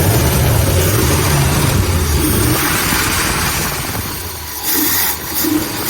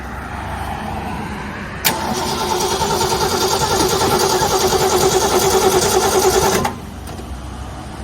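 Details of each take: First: Ford Galaxie V8 running on its own fuel: low steady burble with slight pitch wander, holding idle without stumbling; doesn't sound too bad. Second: Ford Galaxie with new battery and new starter solenoid: starter cranks steadily around 200 turns a minute for five seconds, never catches; crank-no-start, no spark from dirty ignition points.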